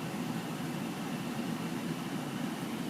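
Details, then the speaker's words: 2004 Lennox downdraft furnace in condo, heard with door closed: steady soft rushing of air through the return vent over a low, even hum; pretty quiet, running normally with noticeable return airflow. "with the door closed. So I mean, pretty quiet. You do hear a lot of airflow through that return vent, though."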